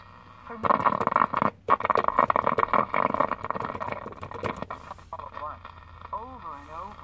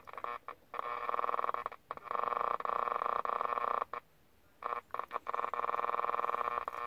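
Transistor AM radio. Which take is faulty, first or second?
second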